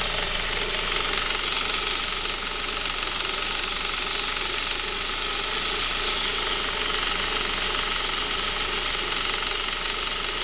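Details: Saab 9-5 B235 engine at cold idle: fast, tinny rattle over the running, heard on a cold engine only; owner suspects the timing chain, cause not confirmed.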